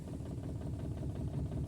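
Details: Maruti Suzuki Alto 800 idling in neutral with a misfire, no check-engine light and no stored fault codes. Uneven lumpy idle with an irregular chuff and shake, with an ignition coil problem indicated.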